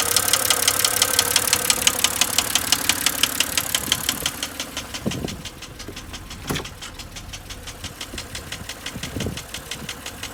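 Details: 2007 BMW X3 N52 at idle; sharp, regular metallic knocking about three per second over the idle; owner suspects rod knock, unconfirmed; engine knocking.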